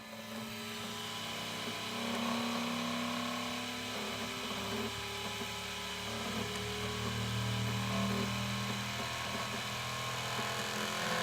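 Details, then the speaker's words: Elegoo Centauri Carbon 3D printer, new, first-time setup, mic placed close up: input shaping vibration calibration, loud buzzing tones that hold then step down in pitch as bed and head shake; normal. "I think that might be for filament uh tuning and then automatic leveling input shaping which that loud noise you heard earlier was the input shaping and then you have one click selfch check."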